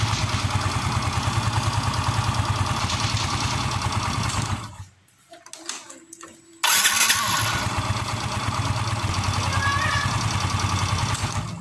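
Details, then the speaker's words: Yamaha Mio M3 after cleaning residue from the starter/dynamo that caused growling at start and shutdown: small engine idles steadily, shuts off cleanly without growl and restarts straight up; noise gone. "Oke teman-teman suara ngorok sudah hilang"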